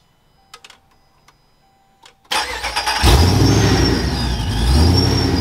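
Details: V8 with TorqStorm supercharger running 100% M1 methanol, started after supercharger oil change; quiet, then starter catches and it fires at once, settling into a strong, even idle with no knocks; normal start and idle.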